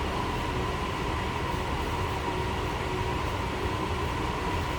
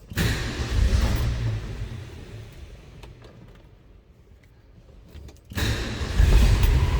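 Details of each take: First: 1969 Ford F100 Custom Cab, 300 cubic inch inline-six warming up in neutral after choke start, heard from the rear, stock-sounding exhaust. Smooth even low rumble, no misses, ticks or knocks; normal healthy idle. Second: 1969 Ford F100 Custom Cab, 300 cubic inch inline-six, cold-blooded, started cold on choke. Low rumble sags almost to nothing, then catches and climbs; rough cold running on choke until warm.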